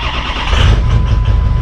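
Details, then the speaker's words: 6.0 Powerstroke diesel truck, first start after battery and connection work: catches after a short crank with fuel pump and glow plugs, settles into a lumpy, uneven chug, sounds like missing, smoking a little; cause unknown. "oh, it starts. It sounds bad. It sounds like it's missing, but it starts."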